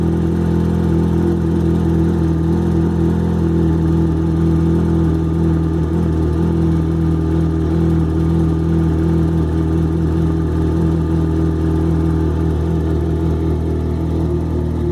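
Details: Yamaha XJ6 motorcycle on cold start: steady, even idle with a faint light "tec tec" tick that diminishes greatly once the engine is warm; source of the tick unclear.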